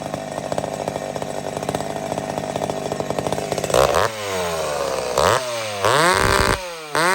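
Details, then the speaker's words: McCulloch Super Pro 70 chainsaw after fixing the pulse line fault (suspected gasket sealer blockage), mixture richened slightly: steady two-stroke buzz, clean quick revs up and down with no stumble or bog; no longer surging, running healthy. "okay so the sign the fact that this thing's not racing up and down and doing all kinds of crazy stuff it's a sign that it's fixed"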